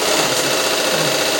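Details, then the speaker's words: Unicorn LS2-H6000M industrial sewing machine winding the bobbin with the presser foot left down: fast, even, high-pitched whir. Fixing the presser foot up stops wear under the foot and reduces the noise. "Once you make it fixed, the needle valve under the presser foot won't get worn out and there will be less noise."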